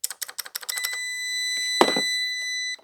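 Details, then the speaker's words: Shift solenoid from a 2002 second-gen Honda CR-V, actuated; quick sharp clicks, then a steady electronic tone. It sounds slightly dull but is working properly. "not sure what to make of that sounds like they're working"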